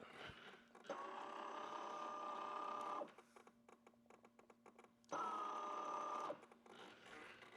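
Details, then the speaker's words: Brand-new kerosene turbine in an Elite Aerosports Picaro 2.0m RC jet, zero run cycles, priming the fuel system: two-second bursts of steady mid-pitched electric buzz with pauses, small pump cycling; normal fuel pump priming. "We want to prime our fuel system, so we'll prime it."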